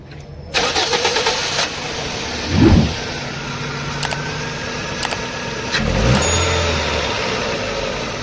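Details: Toyota Corolla XLi petrol engine starts and idles unevenly with two short revs. Engine misfire and rough idle attributed to a faulty ignition coil.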